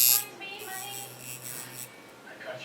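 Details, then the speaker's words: Cheap Chinese coil tattoo machine at 5.2 volts gives a thin electric buzz that stutters and drops out unevenly; frame vibration makes it run inconsistently. "now 5.2 it's running what [Music] happens you see what it's doing inconsistent"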